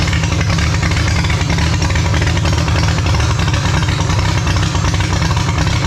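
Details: Holden grey motor six in a HAMB dragster with triple Stromberg carbs during carb synch: loud steady low idle with a choppy, lumpy pulse; big cam overlap means it won't idle below about 1600 rpm, pumping raw fuel out the exhaust.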